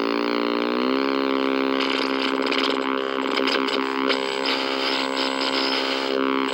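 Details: 1964 Sony 9-304U portable TV: a loud buzzing drone of shifting pitch with a steady whine over it, audio motorboating and squealing.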